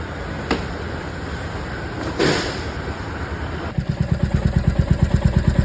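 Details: Royal Enfield Meteor 350 engine catches and settles into a steady idle of about three beats a second with a light metallic tapping on top: tappet (valve) noise from loose valve clearance.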